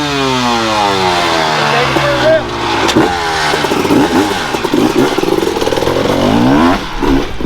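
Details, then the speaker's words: Landon's freshly reassembled dirt bike, warmed up after kick-starting: crisp revs climb and drop cleanly, with the pitch following the throttle and no misses or rattles. The engine sounds good. "like it's good. Yeah, the meth sounds good."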